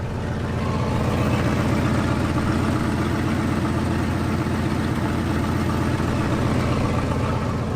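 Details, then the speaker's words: 1974 Ford F-250 Highboy petrol V8 running lean: idles steadily with brake pedal held; foot off the brake it hisses. Idle steadies with brake pressed, pointing to a brake booster vacuum leak. "the foot off the brake and you can hear it hissing so we got a master cylinder I mean a booster"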